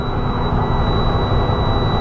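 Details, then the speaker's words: Truck air brake system building pressure at idle, RPM gauge broken: steady high-pitched alarm over loud diesel idle and air noise, the low-air warning below 60 psi in primary or secondary. "You can hear the beeping. That's the audible alert to let you know that it's below 60 psi in primary and secondary, either or."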